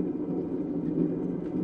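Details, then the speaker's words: Old potter's kick wheel with a 160–180 lb flywheel spinning on momentum gives a steady low rumble with a rough, gritty texture; the old flywheel bearings are worn and noisy. "the bearings you can probably hear that they're not the the best bearings this is an old old kick wheel if the bearings were better they'd be a little quieter"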